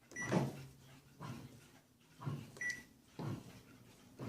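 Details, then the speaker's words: Hitachi HB-B301 bread maker, start of cycle after loading ingredients: short quick motor whirs about once a second with quiet gaps, the 60-second pre-knead mixing phase; normal operation. "Now what you're hearing is the bread maker making small and quick whoa, whoa, whoa, whoa sounds. And it'll be doing it for 60 seconds on the first part of the cycle."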